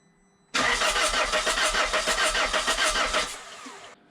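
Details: 1.9 JTDM/CDTI diesel after a snapped timing belt, rebuilt with a new belt, water pump, rockers, pulleys and glow plugs, fuel primed via ignition. Steady cranking at about three compressions a second with no firing: cranks but won't start. Air earlier escaped past the injectors, since reseated.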